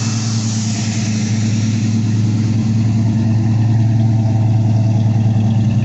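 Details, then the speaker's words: Steady low V8 idle with an uneven stumbling lope on a 1979 Pontiac Firebird after sitting eight hours; a misfire, with plugs fitted three months earlier found in bad condition. "you can hear she's got a miss on her"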